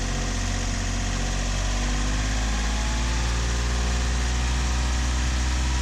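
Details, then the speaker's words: Yanmar 3GMD diesel in a 28-ft sailboat, after injector cleaning, revved above its 1600 rpm cruise toward the intended 2400: loud drone with a rough, shaky undertone and a burning smell. It is improved, but the vibration cause is unfound. "it's definitely it's definitely improved some but i still think it's a bit uh it's a bit shaky usually it wouldn't do this"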